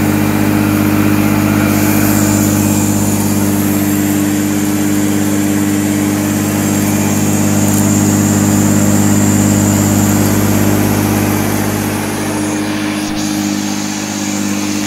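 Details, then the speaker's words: Goblin (BVC) 10283 EaseElec vacuum, cleaning sawdust on carpet: steady low hum with constant whirring, no slipping or squeal; motor and brush run evenly, agitation strong. "it's more surprising than i thought better than i filmed yeah much better you could hear it pounded the carpet you could see it doing stuff"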